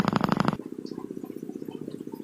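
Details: China-made CRT TV that powers on but stays in standby: fast, even purring pulses, about a dozen a second, from the power supply. AC input is present but there is no 110 V output, caused by a shorted rectifier diode.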